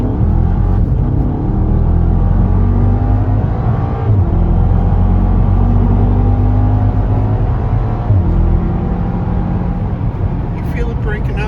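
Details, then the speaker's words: Mk7 R: low, lumpy idle with an irregular stumble and uneven beat under a steady rumble, indicating a misfire. It is described as breaking up a lot and slipping a little under drive. "Yeah, it feels like it's breaking up a little bit. Breaking up a lot. And slipping a little bit too."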